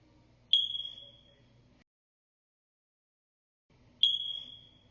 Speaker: when your smoke alarm makes this sound [Music] it's telling you the batteries must be replaced or your entire alarm must